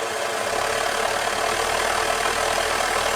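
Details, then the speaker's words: Overhauled Svea 123 white gas stove (not 123R), turned up to roar more: steady, even hissing roar with no sputter or surging; burning cleanly and strongly. "let's um let's turn it out and see if it it does Roar a bit more I"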